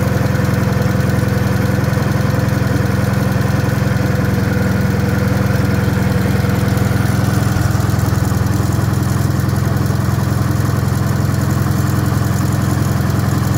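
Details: Wisconsin THD air-cooled engine, fitted with a flush head that tucks into the shroud; steady, even low thrum at about three and a half beats a second, no knocks or misses; the head makes it quieter; normal running.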